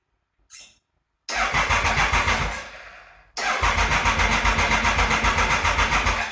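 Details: 1996 Triumph Thunderbird, bought as a non-runner, after a sprag (starter) clutch repair: two even cranking bursts at about four turns a second with no more clanking. The starter clutch engages properly; the engine is not firing yet, possibly not getting fuel, with the choke on.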